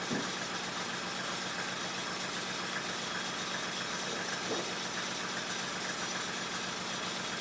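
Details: 1995 Mercedes E300, cold engine: low, uneven idle with a loose, irregular beat under a steady hiss; idle speed too low, running rough.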